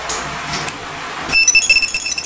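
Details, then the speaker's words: Mili MiTag smart finder tracker switched on by pressing its button: a click, then a quick run of about fifteen bright high chirps over a second; normal power-on tune. "Ganito siya pag on. Ganito yung tunog niya pag on. Pindutin mo lang dito."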